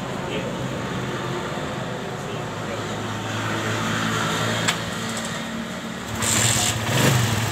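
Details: Suzuki Satria FU that was hard to start and stalled, tested after repair (drain under the exhaust found blocked or dirty, wiring insulated against water), settles to an even idle and revs cleanly; running normally.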